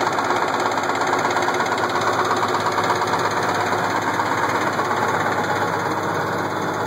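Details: Case IH 1680 combine, 8.3L Cummins diesel idling: slow, heavy knock, roughly 100 a minute, pounding through the idle. The knock started slow and worsened; with the timing cover off, a cracked cam gear with missing teeth was found.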